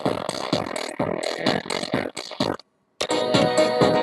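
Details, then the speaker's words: Phoenix Gold ZX475TI car amplifier after potentiometer work: music on one channel comes through harsh, buzzy and crunched on loud parts, while the other side sounds clean. That channel is saturated and clipping, with the remaining fault not yet found. "on entend bien que c'est saturé que le son est saturé de ce côté on entend bien que le son est saturé de ce côté dé la caméra donc il faut que je trouve la panne qui qui reste"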